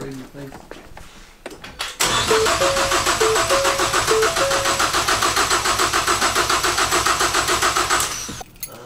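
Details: Freshly built Focus ST engine after a swap, cranking to prime oil with break-in oil before first start: steady even cranking at about three and a half beats a second, good compression on each stroke, no firing.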